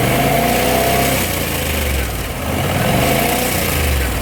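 Fast, uneven light rattle from the top end at idle that swells with each rev; it sounds like a loose timing chain. Cause suspected, not confirmed.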